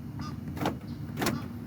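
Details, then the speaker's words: 2011-2020 Toyota Sienna driver door after outer door handle replacement, wires reconnected: two quick crisp lock actuator clunks, no grinding or stalling; power door lock working normally. "Everything is working now. You hear the power lock?"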